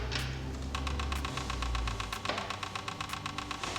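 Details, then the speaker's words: VW Scirocco with an R32 3.2 VR6 AWD swap cranks with a steady chugging beat but never catches. The dash shows immobilizer, which means the ECU is communicating with the other modules. A loose earth had just been found, with 9 V on the brown ground wires. "It's a bad thing, but it's actually good news. So if you look right there, it says immobilizer. It's immobilized."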